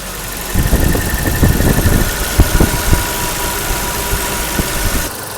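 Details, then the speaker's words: 1984 BMW E30 318i after valve adjustment and reconnecting a vacuum hose; it had failed smog and may still need a catalytic converter. Even idle at 900 rpm with only light regular valve ticking and no loud clatter. "well it sounds way better will it pass smog I doubt it might still need a catalytic converter but it sounds so much better so I'm really happy with that"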